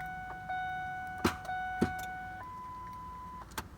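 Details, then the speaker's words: 2002 Ford F-150 5.4L, battery charged and lights bright: turning the key gives sharp single clicks with no cranking and a dash chime; the starter has failed and needs replacing. "But everything else is bright and the battery seems good, then that is a good indicator that your starter has indeed just gone bad."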